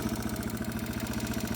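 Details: 2002 Yamaha TTR 225 single after a battery replacement, cold start on choke: quick, even thumps at roughly twelve a second with no misses; runs steadily and sounds healthy.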